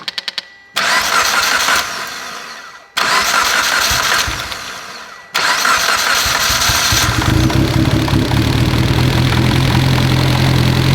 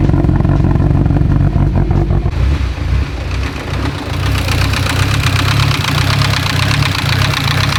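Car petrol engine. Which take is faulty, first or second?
second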